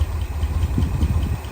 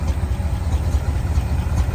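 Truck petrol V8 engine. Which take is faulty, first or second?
second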